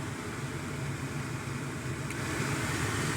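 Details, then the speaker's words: 1998 Chevy Silverado (GMT400) just after replacing the AC blower motor resistor, stepping up through the fan settings: a smooth, steady rush of air rising slightly, with no rattle, squeal or ticking. The blower runs normally. "Yep, I don't know if you can hear it on your end, but I can definitely hear the increase in speed on this one. I can feel it too."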